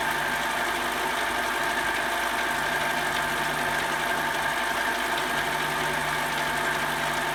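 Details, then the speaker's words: Metal lathe cutting after tightening the tool post, workpiece unsupported at the end: steady cutting hum with a faint even buzz; much better, only slight chatter left. "that's much better still got a little chatter out here"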